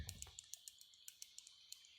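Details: HP Spectre x360 2019 15-df0002na under CPU stress test, laptop turned vertical: faint sharp crackles about six per second; quiet in normal mode, issue persists on replacements; source uncertain.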